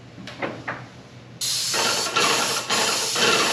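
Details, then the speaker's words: Paint sprayer with a good tip run at lower pressure for less overspray: steady, even hiss with no spitting, pulsing or surging; clean, normal low-pressure spray. "lower pressure equals less overspray you want to be able to spray a consistent uh coat with the lowest possible pressure"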